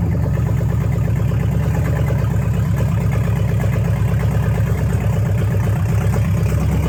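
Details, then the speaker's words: Dodge Challenger V8 after replacing fouled spark plugs and fixing a vacuum hose that caused rich running and no-start: steady, even low burble at idle with no misses or knocks, engine running clean. "i replaced those spark plugs fixed that vacuum hose and immediately changed the whole car"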